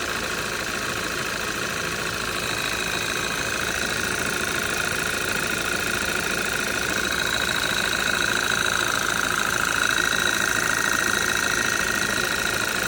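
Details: 2013 Audi 2.0 TFSI gen2, Revo Stage 1, 150,000 km, cold start, engine cover removed; steady cold idle with even light knock about two per second; owner suspects piston pin but unsure, source unconfirmed.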